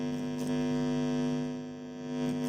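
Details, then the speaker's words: MD221 tone control preamp in acrylic box, fed to amplifier and subwoofer, volume at 12 o'clock and rising: steady low electrical hum with buzzy overtones at constant pitch; suspected poor wiring connection or grounding, not confirmed. "serunya nggak boleh didengung ya ini mungkin ada perkabelan ya Yang yang kurang connect atau memang groundingnya kurang bagus"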